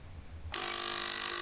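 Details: 3000W voltage stabilizer before repair: works and output rises, but harsh rapid buzz from power-on; relay chatters, suspected failed electrolytic capacitor leaving relay supply low, to be replaced (470 µF 50 V tried).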